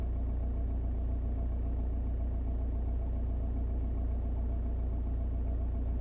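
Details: 2002 Audi A4 B6 1.9 TDI PD130 (AWX): low diesel idle with uneven pulse and occasional stumbles in the rhythm; intermittent misfire at idle, later solved.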